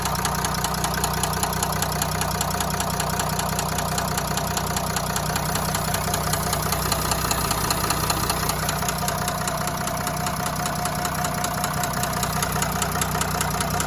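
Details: V9X 3.0 dCi diesel at idle: even, heavy, very regular knock under two per second; connecting rod knock, worn rod bearing.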